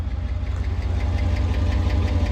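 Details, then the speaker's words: 2018 Cadillac Escalade V8 before the DOD delete: sharp light ticking at about five per second over a deep idle; owner suspects a pushrod or lifter, possibly a manifold gasket. "Alright, so we're going to try and get rid of this noise, which I believe is either a push rod or a lifter."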